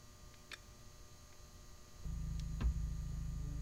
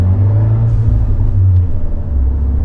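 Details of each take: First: 1.4L MultiAir Turbo 124 Spider with a history of cylinder 4 idle misfire, restarted after stalling: quiet at first, then settles into a low, steady, even hum with no stumble; a smooth idle for now. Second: Fiat 124 Spider 1.4L MultiAir turbo at idle after the cylinder 3 and 4 coil packs were swapped. The low idle lopes and wavers unevenly, and the rough idle still points to a cylinder 4 misfire even though the scanner shows none.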